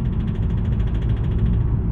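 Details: Honda Accord CU3 diesel with deep rapid knocking under acceleration, DPF light on, fuel leaking and white smoke from the exhaust; owner feared a bottom-end bearing.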